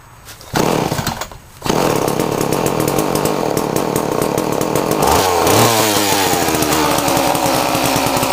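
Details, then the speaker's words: Homelite chainsaw, cold start after long sitting and a carburetor clean-out, choke on: a couple of quiet pulls, then it fires and settles into a strong, steady two-stroke buzz climbing cleanly; healthy running. "Because I gave this thing a carby clean out, so it should start alright. That sounded alright."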